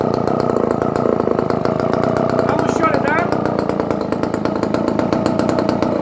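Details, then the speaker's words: Barn-find Dolmar 118 Super two-stroke chainsaw, first run after sitting, on gasoline: crisp buzzing rev that holds high and picks up cleanly with no misfire. Runs healthy. "it sounds like a good s r very nice high picking up"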